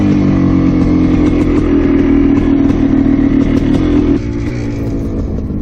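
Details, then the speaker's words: 1987 Yamaha YZ490 two-stroke under throttle, before the needle adjustment: thick, flat drone with no acceleration and a sag at the end. The rich mixture is causing bogging; the needle must be set leaner. "basically the plate with Seaver boggy and it had like no acceleration so I think that you know he's going to have to go quite a bit now in order to lean out the mixture"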